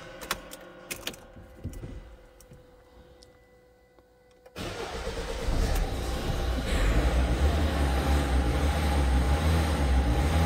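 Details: Diesel after fuel filter replacement: quiet clicks, in-tank lift pump priming, then fires on third attempt and settles into steady, even idle clatter; air in fuel had caused earlier stall.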